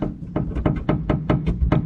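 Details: BMW E39 M5 sedan trunk lid tapped: hollow, buzzy knocks about five a second, as the glue between the inner and outer skins has broken loose after 20 years of vibration.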